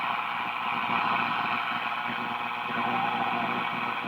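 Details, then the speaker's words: 1941 Crosley B36-BS battery DC radio being serviced, no antenna connected: steady hiss with only faint traces of stations; weak reception from lack of antenna, though selectivity is good. "see there's some more and these would come in would an antenna they're just not gonna come in without an antenna"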